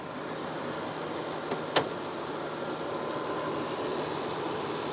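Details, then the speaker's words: BMW idling just after a fuel filter change and priming the fuel pump five times: quiet, smooth idle with fairly loud, light, even injector ticking, which is normal. The earlier knocking noise is gone. "Now the injectors, they're pretty loud. That's not the noise that I was hearing before though. That ticking, that's fine, that's just the injectors."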